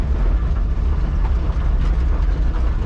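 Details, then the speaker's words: 1970 Chevrolet Nova, revived after years sitting, heard while driving: deep, steady low rumble with an even beat, no misses or knocks; runs healthy. "Listen to this old thing. Boy, she sounds good."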